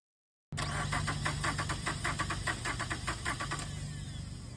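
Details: Starter cranking during a voltage-drop test of the total negative circuit, clamp to starter ground, reading below 200 mV, within spec: brisk, even cranking at a steady beat for about three seconds with no dragging or clicking. Normal starter cranking.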